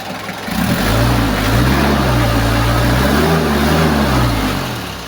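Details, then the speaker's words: Kia Bongo diesel, restart test after fixing hard starting and white smoke on first morning start: catches almost at once, swells to firm even clatter and holds steady, no long cranking; normal start. "try natin ulit start kung h start pa ba Ayon so goods na siya try natin ulit start Ayan so goods na mga kalam"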